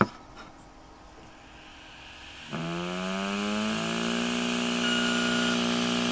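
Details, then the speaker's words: Old Seagate Barracuda 150 GB hard drive converted into a micro grinder: a quiet mains hum, apparently 60 Hz, then a whine climbing steadily as the platter spins up normally. "anyway we'll plug this thing in and give it a spin up and also sounds like it's running on 60 Hertz as well which you'll hear"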